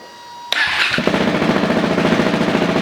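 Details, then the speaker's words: Husqvarna 701 single-cylinder after valve re-shimming and an ECU retune, push-button start; catches at once and settles into an even, steady thump; normal quick start. "Push start. Push start. Wow, that actually started up really quick."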